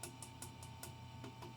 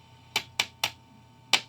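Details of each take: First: 1955 Magnatone 108 Varsity Deluxe tube amp, power tube tapped about three times a second: steady low hum, no ringing or squeal after taps; power tube not microphonic. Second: 1955 Magnatone 108 Varsity Deluxe tube guitar amp, tube-tap test with the mic pointed at the speaker. Rectifier and power tubes stay silent, but tapping the 12AX7 preamp tube gives seven sharp pops through the speaker; that tube is microphonic and bad.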